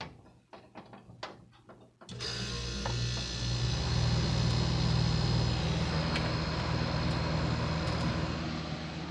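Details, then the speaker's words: Patched Whirlpool dehumidifier built from two units, with an Embraco compressor, miked close to the compressor: a few clicks and thumps, then a steady low hum with no hiss. Owner checked it and says it is not low on refrigerant; normal compressor run. "it starts up, it runs. It's not low in refrigerant because it doesn't make any hissing noises, and I checked it."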